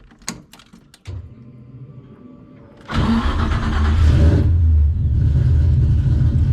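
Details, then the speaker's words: Engine started warm after a drive, settling into idle with a harsh high screech; squeal comes and goes after running a while, not RPM dependent; power steering pump earlier suspected, now unclear. "But it doesn't seem to be RPM dependent. It kind of comes and goes. It gets really loud sometimes, and I'm just kind of at a loss."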